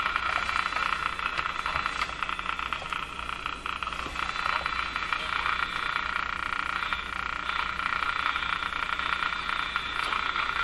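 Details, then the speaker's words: Electrohome Cosmic tube radio after its last three capacitors were replaced: steady hiss with faint, fairly regular ticks about three times a second; interference that a portable radio also picks up, source not found. "going to grab a portable radio and i'm going to go off and try to hunt down this sound it's ticking while i can"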